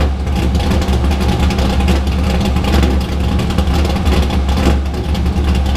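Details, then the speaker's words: Drift car on first startup after engine work: loud deep engine with uneven, lumpy beat and slight surging; owner felt it sounded off, and it hesitated when driven. Cause unclear. "but this sounded off to me it was just like i didn't sound right like typical how my car sounds"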